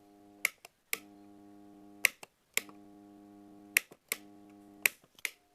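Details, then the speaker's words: Electric water pump: the switch clicks, then a steady low mains hum with no run-up each time it's powered; it spins only when helped by hand. Blamed on a weak or failed capacitor, with a broken start-winding wire or connection as the other check. "ketika pompa dinyalakan seperti ini dan tidak mau berputar ya namun timbul suara berdengung seperti ini"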